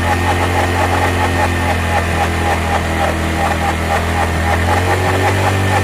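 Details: Hero Glamour single-cylinder motorcycle at idle: loose, uneven tapping over a steady low thrum, engine sounding badly noisy; internal cause suspected, not confirmed.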